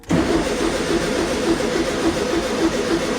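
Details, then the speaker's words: 1973 VW Super Beetle 1303, sat outside 15 years, cranking after replacing two missing fuses: steady starter churn, even rhythmic chug, no firing; fuel reaches cylinder but no spark found, distributor next to check. "And once again nothing. But guys, this engine is super simple. We need fuel, wind and spark."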